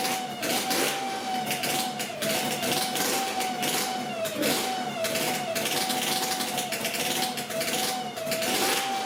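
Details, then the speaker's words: Yamaha RZ350 two-stroke project bike idling under a steady, high howling squeal from the dry mechanical tachometer in the gauge pod; fixed at least short-term. "but I think I need to take this gauge pod off and fix this screeching tachometer it should start up this time okay here we go"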